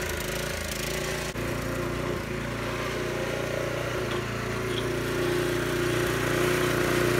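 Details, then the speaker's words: Troy-Bilt sickle-bar mower, Briggs & Stratton 5 HP, long unused, just started after carburetor cleaning: a steady single-cylinder putter with brief stumbles every second or two. Owner hopes running it hot will clear the sputter before a final carb adjustment. "it has a little bit of a spotter uh we'll just let it run for a little while"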